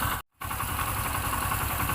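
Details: Honda W110 motorcycle after repair and reassembly that cured a loud engine noise: steady even small-engine idle with no ticking or clatter; normal idle.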